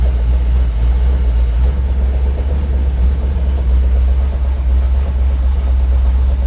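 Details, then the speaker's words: 1984 Dodge Ram with Holley Sniper and custom electric fuel pump module, warming up at about 63 psi oil pressure: steady deep V8 idle with a faint irregular puffing tick; exhaust leak, location unclear. "exhaust sounds better ignore what I said about the exhaust there's a leak"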